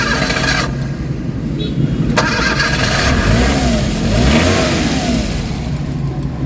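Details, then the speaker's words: Suzuki DA64/DA63/DA17 engine with AC on: runs unevenly and lumpy with strong vibration, throttle blips rising and sagging, dies unless accelerator held; rough running and stalling. "So ang problema nanginginik. Lakas ng vibration. Kita niyo yun? Lakas ng vibration niyan guys namamatay."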